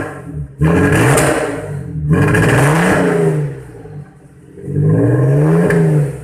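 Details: Audi TT engine misfire: uneven, stumbling revs rising and sagging in bursts; VCDS measured fuel pressure around 2.5 bar versus the 3.5 bar minimum the injectors need, blamed on a worn fuel pump.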